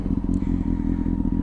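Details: Used motorcycle warmed up on a cold 4–5 degree day, steaming at the rear: even, quick low thump at idle with a steady beat and no knocks or clatter, healthy warm engine.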